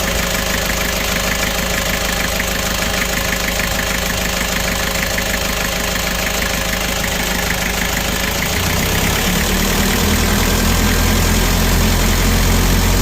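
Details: Kia Bongo Frontier 3.0 JT diesel at idle with a hard, regular knock about three blows a second over the clatter; engine also overheating (no fan shroud), low power and black smoke, suspected bad fuel injector calibration.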